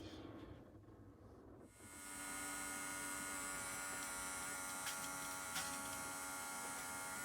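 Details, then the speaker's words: After fitting a new automatic bilge pump on a boat (the old one spun slowly and only trickled), water is poured in: steady, smooth small-motor hum with water rushing as it pumps out quickly; a small leak at the front pipe joint. "you can see that it's now working there's a bit of a leak at the front where that pipe joint is i need to sort that out but it is pumping it out really quickly"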